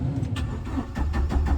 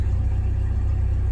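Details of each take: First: 1997 Jeep Wrangler TJ SE 2.5L four-cylinder manual, ~204,300 miles, sat a month, just fitted with remanufactured PCM: rapid starter chatter about five seconds, never fires; battery voltage then reads 0; later found crankshaft position sensor left unplugged. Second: 1997 Jeep Wrangler TJ SE 2.5L four-cylinder manual, ~204,300 miles, new remanufactured PCM, after plugging back in the forgotten sensor and restoring relays: deep, smooth, even idle with no ticks or stumbles, normal.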